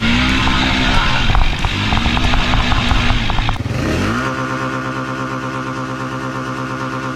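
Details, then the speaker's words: Honda Rancher 420 ATV, previously rebuilt with new crank and top end, now due for transmission rebuild: strong, even engine note climbing and falling with throttle then steady run, no knocks or rattles; engine sounds healthy. "you just drove it onto on screen it sounds good yeah it does it runs really good"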